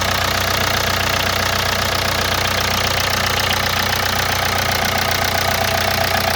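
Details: Hyundai Santa Fe DM 2.2 diesel, cold idle: steady, fairly even tapping about three times a second over the clatter, gone after 3–5 minutes of warm-up; owner suspects hydraulic lifters, unconfirmed.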